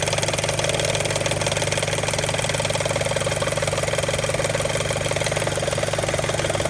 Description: Some kind of flapping sound, can't tell where it's coming from. Tried a scope, and paper towel roll... maybe timing belt tensioner loose? No codes. Warm idle.